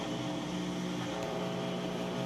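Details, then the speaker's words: Crosley washing machine on heavy, warm, max full load, draining and entering final spin: smooth steady hum with constant motor tone, no knocking, scraping, shaking or imbalance thumps; normal final spin. "And now it's going into that final spin cycle, so you'll be able to hear that it sounds good. No weird noises, not shaky or anything like that."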